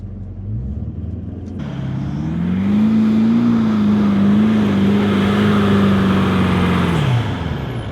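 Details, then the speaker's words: Toyota 200 series Land Cruiser on sand hill climb, second start, multi-terrain select switched to mud and sand, full throttle. Engine climbs then holds a wavering, capped note as traction control cuts power and wheels turn at different speeds; momentum lost. "Again, we can hear the traction control system engage, and we observe the wheels turning at different speeds. This caused a loss of momentum, and as a result, we lost that forward motion."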